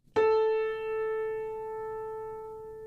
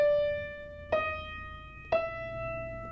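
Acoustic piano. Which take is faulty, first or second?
second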